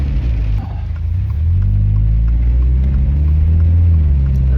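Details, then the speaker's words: Car after reinstalling OEM rear shocks/suspension: steady low road rumble with one soft thump over a bump, no rattle or clunk; suspension sounds tight and healthy. "something tells me it's probably not going to Rattle it hasn't yet and I could pick up on it by now"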